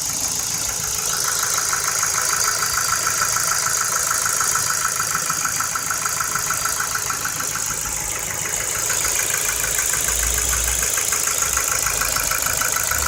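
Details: Ford Focus 2, 1.6 petrol, 2009, 90,000 km, at idle: a sharp, steady metallic ticking about three per second. Piston pins are the likely cause; the fix is an engine overhaul with new pistons and pins, possibly boring. Engine knock.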